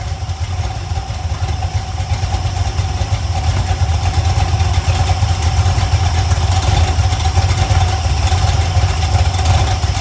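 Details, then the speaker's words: LS 5.3 iron-block LM7 on a run stand with a BTR Stage 2 truck cam, idling low after a couple of start cycles to prime oil: lumpy, rolling cam lope, earlier valvetrain noise now gone; normal lopey cam idle. "yeah that's definitely got some sort of L to it and I've got it idling down pretty [Music] low that valve train noise went away"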